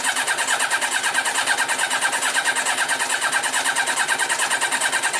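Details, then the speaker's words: Yamaha Diversion, possibly a 1998 600, won't start after three months at a garage; new spark plugs, fuel pump running: starter churns about 2.5 times a second, engine never catches. "Okay. So, it doesn't want to know. So, that's fine. Um, so we've got fuel coming through."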